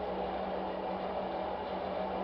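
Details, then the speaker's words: Test rig motor running on Mecacyl hyper-lubricant while a 3 cm steel bar is forced against it, lifting the rig: steady even hum holding pitch under heavy load, no scraping or stalling. "j'en arrive même à lever l'appareil et le moteur n toujour pas bloqué"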